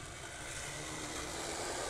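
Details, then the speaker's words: Vintage Varney Union Pacific F3 HO locomotive, unrun about 50 years, 4-wheel drive, after chassis repair hauling an 8-car train: smooth, even motor and gear whir building slightly and steady under load, a few odd noises, running consistently. "A couple of funny noises, but yeah, other than that, I really wouldn't consider that too bad of a runner. It's running consistently, which is really what matters."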